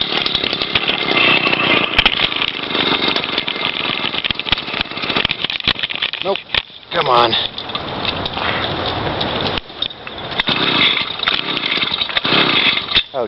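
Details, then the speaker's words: Motorized bicycle two-stroke engine kit, first start by rolling downhill: buzzes raggedly, surging and stumbling with dips in power; choke left on, running too rich. "choke's still on, that makes sense."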